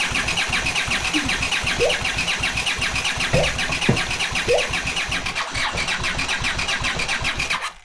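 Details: Leftover Honda CX500 engine on a bench test rig, no exhaust, no cooling: starter churns a slow uneven chug, two or three beats a second, never catches; spark present but fuel spits from cylinders, owner suspects coils wired the wrong way round.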